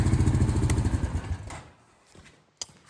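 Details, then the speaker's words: ATV running: a quick, even, low putter at about 3.5 beats per second, then fading away. The owner says it runs perfectly with no smoke, even cold, and calls it a great-running little machine. Normal running. "that thing is perfect in driving and running, not a drop of smoke, no cold smoke or anything. Listen to this. Great running little machine."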